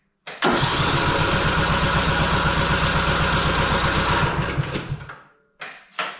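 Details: Husqvarna Rider 213c mower that will not restart after driving an hour or more: starter churns steadily at about four beats a second for four seconds without catching, then stops; hot engine will not fire.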